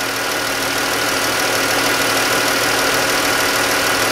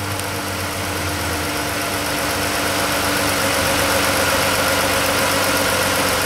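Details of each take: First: 2013-type Chrysler 3.6 Pentastar V6 at idle: sharp, regular ticking about three times a second, louder on the right bank; valvetrain tick from failed roller rockers. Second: Chrysler 3.6 Pentastar V6 after replacing worn roller rockers and lifters that caused ticking: smooth, steady idle, even hum, no tick or tapping, quieter, no codes; valvetrain healthy after repair.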